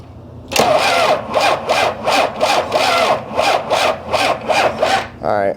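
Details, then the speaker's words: 1993 Dodge D350 Cummins turbo diesel, abandoned 18 years, with new starter and fully charged new battery: slow labored cranking, about 2.5 pulses a second with uneven beat, not cranking faster. "I want to see if this thing's cranking over faster at all so it's not cranking over any faster"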